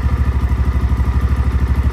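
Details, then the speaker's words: XPro Templar X 250cc dirt bike fitted with a new 30mm Nibbi carburetor, idling from cold with idle screw set near 1000 rpm; an even, steady single-cylinder thump with no misses or hunting, where the bike was previously hard to idle cold. Normal idle. "so dude she's on there she's running it's idling from a cold maybe it is as good as everybody says cuz literally this bike was a pain in the butt to get idling when it was cold here it is idling beautifully"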